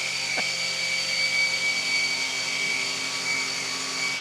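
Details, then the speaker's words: Revised Maxflow MPro 25 (MK1 was the first version) run near the unit: steady high whine over motor hum, about 88 dB, rising to near 90 dB when a sharp squeal comes and goes; pump or motor squeal, cause unknown. Ambient 33.6 dB. "it was like 88 decibels over here. And then when the squeal came in, it was closer to 90."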